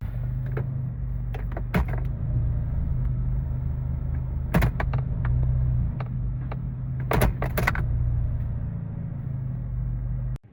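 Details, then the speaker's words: 2004 Honda CR-V automatic while driving, after replacing the transmission end cover and refilling with correct fluid to cure whine: low, even driving rumble with a few clicks and knocks but no whine, so the transmission sounds healthy. "I think we did it I don't hear any whining so far now we should really be able to tell"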